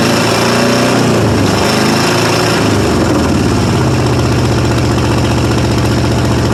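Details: 1995 Ford F-150 5.8 L (351) V8 at cold start: loud, lumpy, stumbling idle that loads up on gas and fires on maybe six or fewer cylinders. It blows steam, and a head gasket or cracked head is suspected.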